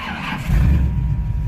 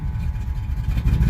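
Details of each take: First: 1985 Chevy C10 with a Vortec 350 and Lunati cam, running hot after replacing failed NGK TR55 spark plugs with Autolites: deep, steady V8 rumble with even revs and no stumble through blips; now runs smoothly, normal running. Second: 1985 Chevy C10 with Vortec 350 and Lunati cam, NGK TR55 plugs a couple months old: deep uneven V8 idle lurching and stumbling, popping and backfiring; misfire on at least two cylinders suspected, later traced to three failed spark plugs.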